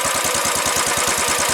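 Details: Single-cylinder motorcycle started at home: crisp, even thumping about eight beats a second with no valve tick or knock underneath. It is a healthy idle.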